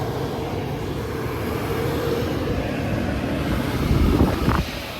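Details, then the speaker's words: Gas furnace bench-tested on its own gas supply and portable lithium battery power, control board connected outside the unit, fan motor suspected: steady rushing roar of blower and burner with no dropouts, squeal or rattle; running like a champ. "man it's running like a champ right now"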